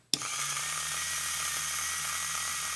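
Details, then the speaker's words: Rebuilt vintage AC/DC universal motor for a watchmaker's lathe, rewired, reversed via the switch: steady, even high-pitched whir spins up at once and holds without wobble or knocking; reversing works and the motor runs smoothly. "it does excellent I'd love to know more about the motor um the RPM the power"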